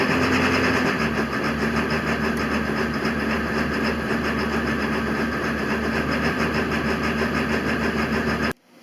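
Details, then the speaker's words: Uneven, loping idle on a 2000 Ford F-350 7.3 Power Stroke diesel, run a couple minutes with engine oil at 80 degrees, with unusual ICP and IPR readings; rough idle traced to a faulty IPR valve, replaced with a Motorcraft unit. "i want you to listen to the engine and watch the icp and the ipr and not sure what's going on here"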